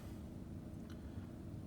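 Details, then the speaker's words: 2012 GMC truck (V8) idling after replacing one bad spark plug that caused severe shaking at idle, misfire codes, check engine light, MPG drop and traction control/StabiliTrak faults: low, even rumble with no stumbles or shaking; smooth normal idle after fix. "and uh the truck's not rattling back and forth like it was before so it's amazing what one screwed up spark plug can do"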